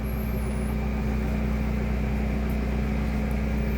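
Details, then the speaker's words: 2014 Springdale trailer slide-out retracting while button is held: steady, even low motor drone as slide rises from floor and comes in; normal operation, clicking follows once fully in and sealed. "So I'm just going to hold this slide out button in. You'll see the slide out kind of raise out of the floor and then come straight in."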